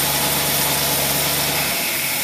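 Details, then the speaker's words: Buick engine on test with a Carter AFB 3660 carburetor: steady, slow, smooth idle with no misses or knocks; carburetor metering and running perfectly. "we've got that whole plug and this carburetor runs absolutely perfect here we go you watch it for yourself"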